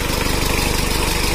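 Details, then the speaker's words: Rebuilt Mitsubishi Strada Triton 4D56T turbo diesel after overheat seizure and scored liners, in break-in, idle left at standard, injection pump and nozzles not serviced or calibrated; steady even diesel clatter with regular low thump, no knocks or misses. Normal idle. "juga normal Coba kita gajah untuk mesinnya belum kita setel semalam ya Jadi kita standarkan aja karena ini adalah masih masa inreyen"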